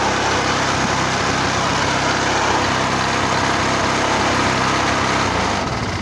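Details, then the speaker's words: Vintage Maryland reel mower repowered with a lawnmower engine remounted upright, holding a steady, even buzz at constant speed with no misses or knocks; healthy, smooth running, just before being killed. "She's a runner. She's a runner. Oh, good old-fashioned stuff."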